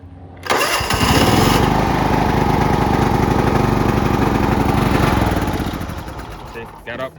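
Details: 30-year-old John Deere LX176 lawn tractor that wouldn't start, after a simple fix, started on choke: cranks and catches quickly, runs at a steady, even single-cylinder beat, then cuts out cleanly via the seat safety switch; healthy start.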